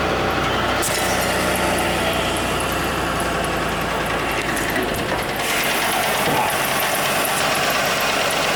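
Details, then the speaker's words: 1986 Ford LTD Crown Victoria station wagon, original EFI 5.0 V8, hard to start, idling under the hood with busy clatter and faint quick ticks that come and go, not the power-steering whine; valve-train tick suspected, not confirmed. "Hear that? It sounds like it's coming from right here. Maybe it's something in the valve train."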